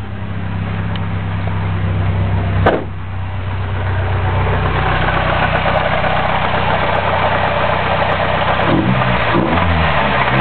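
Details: Chevrolet Cavalier engine idling then revving with a repetitive knock over the running motor throughout; cause unknown.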